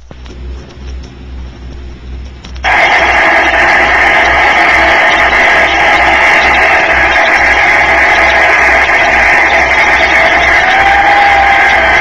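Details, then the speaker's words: Turbonique gas turbine engine (mid-1960s promo record) on a dynamometer, brake pressure reduced after stalled operation: steady high whine with shifting tones over a loud rush as it changes over the operating speed range; normal turbine whine. "the turbine whine can be heard as it has changed over the operating speed range"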